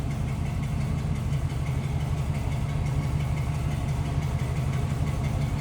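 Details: 1956 Ford Customline 4-door sedan V8, heard from the rear after it fires right up: a deep, steady burble from the tailpipe with even pulses and no miss or knock. The old V8 is idling smoothly.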